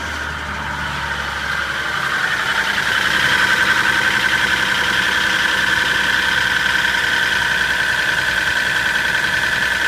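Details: Toyota Soarer engine at cold idle: light regular knock ticking about three or four times a second; owner suspects big end bearings, unconfirmed.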